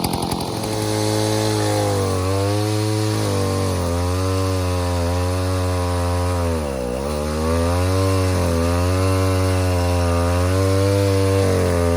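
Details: 070 clone chainsaw with 42-inch solid bar and chain, first use, cutting white oak firewood: strong, even two-stroke howl sags briefly under bar load and recovers cleanly; pulls well, runs healthy, carburetor thought to be mostly figured out.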